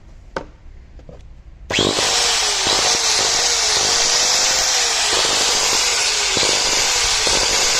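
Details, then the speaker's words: 4-inch Bosch/Hitachi angle grinder running with a harsh high hiss, wavering tone and irregular crackly snaps. Sparking and flame come from the carbon brush area because the armature is damaged. "ये आपको एक grinder तो हमारा चल रहा है, लेकिन आपको एक आवाज़ सुनाई दे रही होगी स्पार्किंग की, ठीक है। ये आपको मैं खोल के चेक कराता हूँ। ये हमारा जो आर्मेचर है वो डैमेज हो चुका है, ठीक है।"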